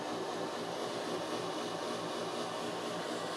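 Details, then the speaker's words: Chinese-built scam car, cabin blower fan switched on: loud airy rushing with a faint buzzing edge at steady speed, moving no air and sounding like it will explode; noisy blower fan, cause unknown. "that's the fan but it's not doing anything and it sounds like this thing's gonna explode let's turn that off"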